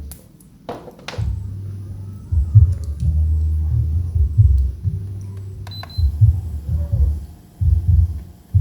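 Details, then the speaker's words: Miyako electric fan that was totally dead, after repair: low steady motor hum with handling bumps, blades spinning evenly; normal running. "Nah, ini dia untuk putarannya ya, sudah normal."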